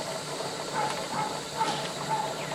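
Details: Pressure canner with tomatoes on outdoor LP hotplate, just after venting ended and weighted jiggler set on, pressure gauge starting to rise: soft steady hiss with faint rhythmic puffs; normal as pressure builds.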